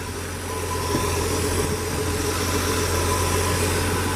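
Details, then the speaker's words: Ford F100 with 300 inline six, window seals missing; smooth steady low idle hum, even beat, no knocks or stumbles; healthy engine. "Got a 300 inline in it, which I will have to say runs like a freaking sewing machine. Listen to that thing."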